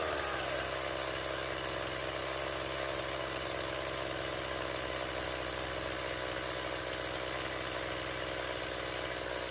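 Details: Stihl MS170 chainsaw after fuel line replacement and a swap from a non-adjustable Chinese carburetor to the original Zama: even-pitched buzzy idle held for ten seconds without stumbling or hunting. The earlier no-start and excessively high idle are fixed.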